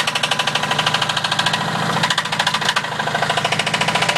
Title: Mazda b2000 rod knock from hell!!